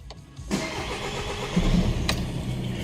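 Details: 2014 VW Golf 2.0 TDI EA288 diesel, first cold start after sitting overnight following the long-crank repair: the starter catches within a moment and the engine settles straight into a steady, even idle; the fault is fixed.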